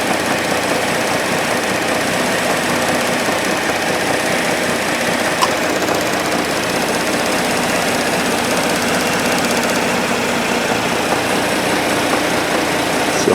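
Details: 2010 Cadillac CTS at idle: a dense, rapid knocking mixed into the engine noise, even throughout. Cause unclear.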